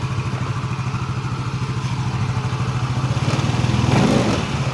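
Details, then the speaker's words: Yamaha Mio MXi 125 FI scooter idling after transmission gear set replacement: steady, even putter with a light rattle from the body covers. Drivetrain healthy. CVT crankcase bearing still noisy, to be replaced later. "So ito ngayon, goods na siya. Yan, pandarin natin. Maingay lang itong kanyang mga cover at dito."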